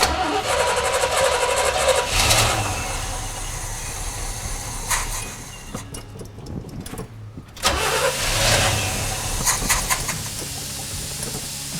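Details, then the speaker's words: 1973 Chevy squarebody truck, unrun 20 years, after fitting fuel pump: starter turns over about three or four beats a second and never catches; a cracked hard fuel line underneath is sucking air. "so we tried to start the truck back up after we put the fuel pump on and now the truck won't start turns out one of the hoses underneath that's hard is cracked and it's sucking air"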